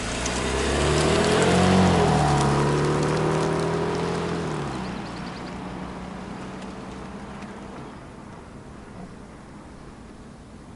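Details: BMW M3 (G80) under a year old, mild driving, M Compound brakes: high, steady brake squeal of about three seconds over low vehicle noise; dealer called it normal, another dealer later gained warranty authorization.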